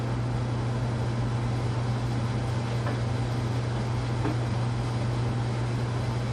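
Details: Casablanca Panama K55-style ceiling fan after bearing replacement and new flywheel, on low speed in downdraft: steady even low hum with no rubbing, clicking or wobble; normal running, earlier bearing noise gone.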